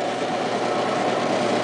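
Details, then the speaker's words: Washing machine during what should be the spin cycle after draining: a flat droning hum with a faint steady tone and no rise in speed. The motor runs, but the drum never spins up. "yeah it doesn't sound right the the motor doesn't sound right you see that this is the problem like the motor doesn't sound right this thing is supposed to be spinning"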